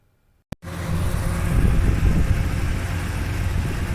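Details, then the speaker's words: 1966 Chevy Caprice V8 after replacing rusted, pinholed exhaust with new aftermarket OEM-design dual system: catches at once, settles into low, even idle rumble with no ticking or leak puffing; much quieter at the front, louder at rear. "so here's what she sounds like now A lot quieter in the front but if we go around back you'll still be able to hear that"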